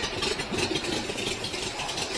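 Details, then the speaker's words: 1969 VW Fastback flat-four, fuel injection replaced with CB Performance Weber ICT carburetors, running cold: steady even idle with airy fan hiss, no misses, already smoother than with injection; separate rattle from tin hitting the mustache bar. "the idle already sounds better than it used to while it's colding with the fuel injection"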